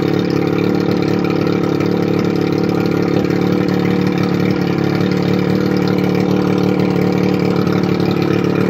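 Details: 1981 Evinrude 35 HP two-stroke outboard, run with gearcase off, 150 psi compression in both cylinders, barely warm: loud, steady drone holding an even beat with no stumbling; normal running.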